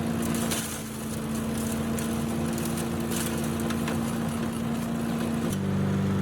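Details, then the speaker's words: Yard Machines chipper with Tecumseh engine, revived from junk pile, some water still in oil: steady firm engine drone under load chipping leaves and small branches, holding speed without bogging; running healthy. "so you can see it does a good job chipping up at least the small stuff it's really good at leaves and small small branches"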